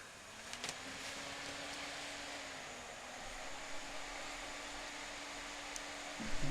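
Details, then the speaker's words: PC power supply after disassembly and a few drops of sewing machine oil on its fan: soft even airy whoosh with faint steady low tone, no more humming noise. "как мы слышим не шумит"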